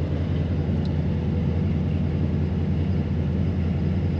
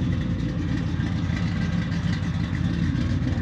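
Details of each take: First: Supercharged Ford Mustang GT V8 with big injectors that won't open under 1.1 ms, after new tune file: deep, steady burble holding one speed without hunting; revs drop to 1200 then settle at 1000 rpm. Normal idle. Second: Supercharged Ford Mustang GT V8, claimed over 600 hp, from Sweden, untuned despite several shops: lumpy, unsettled idle, running rough; allegedly only runs decently in cold start mode.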